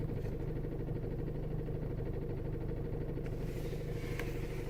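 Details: VW Golf GTI Mk5 2.0 TFSI: steady low engine hum with a fast, uneven buzzing rattle, about two a second, that appears when pressing the brake. It comes from somewhere inside the dashboard, definitely inside the cabin; the cause is unknown.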